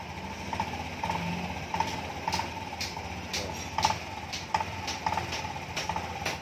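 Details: 2020 Honda Beat Street scooter after cam chain tensioner replacement: steady idle with a slightly rough, soft thud about every two-thirds of a second, no tapping or rattle; sounds like a healthy engine.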